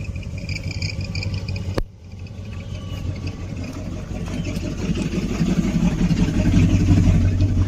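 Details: 1972 Barth motorhome engine running on its own for the first time in 15 years, electric fuel pump: steady low rumble with even beat, no misses or knocks; smooth, healthy idle.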